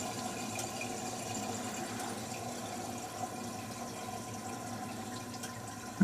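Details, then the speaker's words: 1950 Buick Roadmaster just shut down: steady bubbling and gurgling, little visible flow through radiator; owner thinks it is running too hot and coolant boiling. "it sounds like it's a that sounds like boiling to me from the sound of that I couldn't really see any flow through that radiator to speak of so excited I think it's running too hot"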